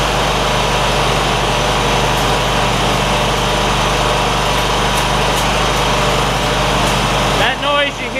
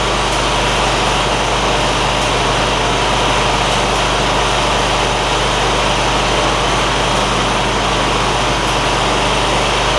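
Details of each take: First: John Deere ZTrak zero-turn mower, Kohler V-twin, sat 2 years, after carb clean fixing sticky fuel solenoid: steady idle with faint irregular light ticks from oak leaf debris striking the back of the cooling fan, which clears shortly. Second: John Deere ZTrak zero-turn Kohler V-twin, sat two years, after carburetor cleaning that fixed a sticky fuel solenoid causing no fuel; smooth, steady drone with no misses or surging, light ticking from oak leaves hitting the cooling fan.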